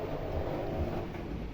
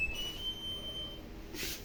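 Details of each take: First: 2014 front-loading washing machine after repair of a noise where something caught on the drum, reassembled and test-run: steady low drum rumble, no knocks, scraping or rattles, no leaks; repair complete. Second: Washing machine during wash: low hum with irregular rasping scrapes, something catching the drum; heater element checked clean, unknown foreign object caught between drum and tub; pump also noisy.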